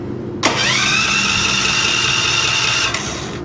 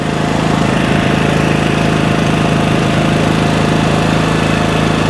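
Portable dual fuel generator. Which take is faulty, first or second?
first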